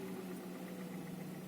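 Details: Hyundai Solaris engine, 10,600 km, idle, knock grew stronger after oil change: steady idle hum with faint quick tapping on top; light knock at idle, cause not yet pinned down.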